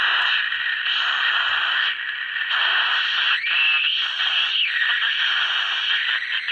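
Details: 1965 Westinghouse H-908PN9GP nine-transistor AM/FM radio before repair: hissy AM with a thin, high whistle squealing over static as the dial moves, while FM is fine. Caused by a leaky 0.5 µF electrolytic capacitor, replaced with a 0.47 µF.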